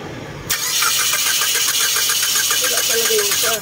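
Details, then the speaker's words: 2012 Mitsubishi Lancer EX that suddenly died: steady starter cranking about three to four turns a second without catching; spark-plug swap showed one ignition coil has no power, coil replaced and engine started. "So walang kuryente dito sa isang ignition coil niya dahil pinagpalit na natin yung spark plug niya gumana spark plug dito na galing dito"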